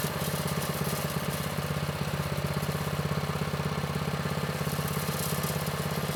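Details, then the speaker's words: Vintage Manco Streaker mini bike, Predator 212 6.5 hp engine, drive disconnected. Idle was too low and was raised; it over-revved, so the max speed screw was turned in. Even, steady fast-idle beat with no misses, knocks or hunting; healthy. "I think we're looking pretty good. The engine, it's running well. It sounds good. Uh, we did have to tweak a few settings. You know, the idle was a little low, so we brought that up."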